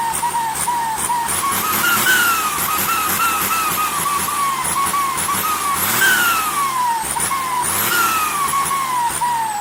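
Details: SK200-3 turbo (AR42): a high whistle near 1 kHz sweeps up and falls away repeatedly over a steady diesel roar; turbo singing/hissing, cause unknown.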